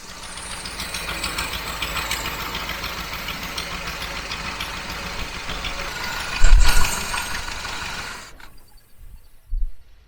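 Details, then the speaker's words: 1968 Jeep Gladiator J3000 pickup, long-parked, first revival run: low uneven idle with loose irregular knocking rattle about four a second; owner suspects missing PCV valve fallen inside valve cover. "I think maybe our PCV valve is down in that valve cover. It sounds like something's bouncing around. It definitely is down in there."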